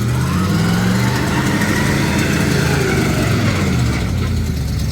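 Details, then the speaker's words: 1968 Ford Mustang restomod V8 just started after carburetor refitted and wiring done: loud, lumpy idle with uneven wavering beat, backfired; rough running, carb needs tuning, mixture probably off. "yo we need to tune the carb a little"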